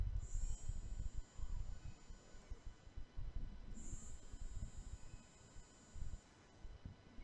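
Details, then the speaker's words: IKEA milk frother after correct battery installation: thin high motor whine holding steady over handling rumble; motor spinning normally. "i know how do you all feel when i hear this sound right the vibration sound i feel so happy i feel like i succeed in something"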